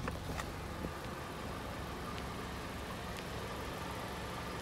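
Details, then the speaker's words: 2013 Jeep Patriot with JF011E CVT, running after fluid change and both filters replaced: only a quiet even engine idle, no transmission whine; CVT whine fixed. "Okay, here it is running. No whine."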